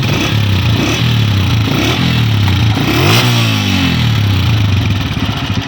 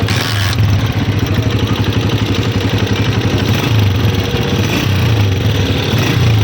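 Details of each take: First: New 2026 Honda CG 125 single-cylinder after repair and tappet adjustment (one tappet too loose, one slightly tight): engine blips up and settles smoothly with no tapping standing out from the exhaust note; valve train sounds healthy. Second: New 2026 Honda CG 125 motorcycle at idle: light fast ticking clatter over the thump from loose tappets (valve clearance), which the factory sets slightly loose on new engines; fixed by opening tappet covers and adjusting.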